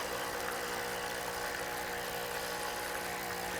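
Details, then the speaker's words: Espresso machine vibration pump just manually primed after an air pocket stopped it drawing water; loud, steady buzzing hum with even tone, no sputter or gasping; normal pump operation. "pretty good so we've actually primed the pump manually again this can happen just from an air pocket"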